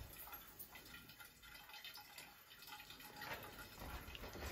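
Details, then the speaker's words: Second-floor laundry room: faint steady trickle and dripping behind washing machine as water runs into the standpipe; malfunctioning 1/2" Watts A200 trap primer stuck feeding water. "it sounds like water is going into the standpipe here and water is going into the standpipe there"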